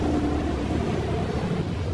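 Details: 2011 Ford Everest, 5R55 automatic transmission: low steady drone with a faint even tone over the rumble, not changing with speed; hum from inside the gearbox, cause unknown.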